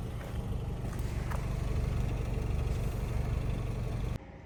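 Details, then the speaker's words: 2006 VW Golf Plus 1.6 MPI BSE petrol, 75 kW/102 hp, 189,000 km, timing belt replaced at 98,000 in 2015: quiet, even, low idle hum holding steady with no ticking or stumbling. The engine idles smoothly. "Мотор працює тихо рівно це ваш улюблене 1.6 bsє 75 кВт 102 коне"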